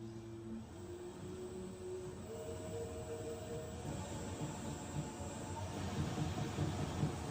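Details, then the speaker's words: Sunmix spiral dough mixer, ex-demo, manual mode 50 rpm with empty bowl: smooth hum then soft rhythmic clunk, heard through the bowl, from rubber bowl roller flat-spotted after standing; fixed by warming bowl and roller. "Now, it's a bit of a clunking noise there. I know what that is. Sometimes if these machines have been stood for a while, those rubber bowl rollers get a flat on them."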